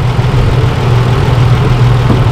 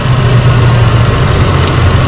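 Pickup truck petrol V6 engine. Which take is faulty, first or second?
second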